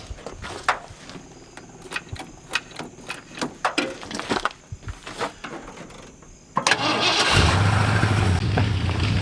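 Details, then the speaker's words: 1977 Ford F150 4x4 back from about 20 years sitting: long uneven cranking with clunks, then a loud, lumpy, unsteady idle and stalling; a major vacuum leak is suspected; rough idle. "anyway yeah she's running really really rough we got a lot of work ahead of us but I think we can fix all that the fact that it runs and drives is a good thing"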